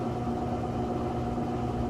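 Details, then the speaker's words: Maytag top-load washer on its final spin cycle, spinning fast: even steady hum with a constant low drone and faint tonal whine, no thumping or grinding; normal spin. "which is great because those clothes will come out nice and light."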